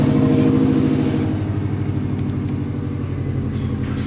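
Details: 2016 Subaru EJ205 boxer engine, 207,000 km, with an oil leak: rough low rumble at cold start with about four dull knocks per second. Cold engine knock, cause unknown.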